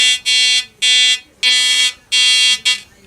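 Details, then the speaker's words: Probably mid-1970s Compass Yukon 94B metal detector: harsh high buzzing tone switching on and off about five times in three seconds; detector responding normally, repaired. "I think it works. That's kind of cool. That's definitely working."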